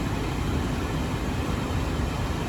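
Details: 2010 Honda Odyssey during an A/C compressor relay test, engine running and A/C on: steady, even rush of air and low hum, no cycling, squeal or rattle; vents now blow colder, A/C running normally.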